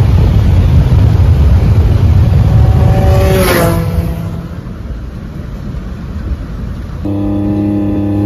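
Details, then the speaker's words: Nissan 350Z with failed (blown) turbo: engine revs hard, then a brief rising-falling whistle as revs drop before a rough, uneven idle with the whole car shaking; turbo no longer spins. "all right guys so this is what the car sounds like with a balloon turbo"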